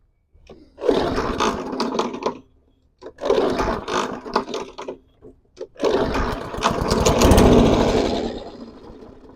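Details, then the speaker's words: Non-running lawn mower with a grinding recoil starter, after an earlier backfire; three short bursts each catch for a second or two and then die away, so it starts and stalls and won't keep running. "Okay, start and stall."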